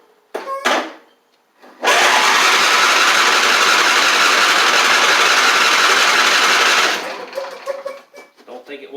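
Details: John Deere D140 riding mower, once blowing fuses, oiled and cranking on its old solenoid with gas in the tank: steady, raspy cranking for about five seconds with no catch. It seems not to be getting gas in; cranks but will not start.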